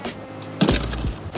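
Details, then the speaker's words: La-Z-Boy recliner footrest closed quickly: a single sharp wooden clunk with a brief rattling ring-out as the pawl-and-rack mechanism slams shut. This is normal and can be reduced by closing it slowly or putting a rug underneath. "Now, the worst part about it is the big clunk that you get when you close the mechanism."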